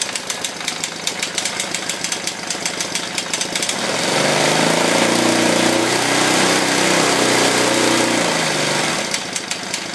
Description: You can hear loud and clear auto-decompression is clicking when enigne is idle.